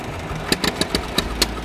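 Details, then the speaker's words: Massey Ferguson 135 tractor, Continental 2.4L petrol 4-cylinder, after carb rebuild, clean fresh fuel, new coil, rotor, distributor; compression dry 90/90/85/90, wet 95/95/90/95: uneven idle with irregular sharp pops, governor hunting, as if fuel-starved; owner wonders about a burnt valve, unresolved. "So number three had five PSI difference. It just doesn't want to run."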